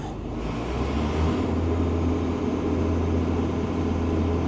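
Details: Old TR96 combine, diesel, running after being restarted: a deep, steady drone at an even pitch with no knocks or misfires; engine sounds healthy and settled (only the rotor speed reading isn't working). Normal running.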